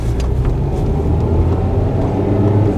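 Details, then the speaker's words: Used-car inspection test drive, pulling away from a stop in first and shifting up through second, third, fourth and fifth. Steady low drone with no flare, slip or clunk between gears; normal upshifts. "I'm going to check the um the gears make sure the gears are shifting properly"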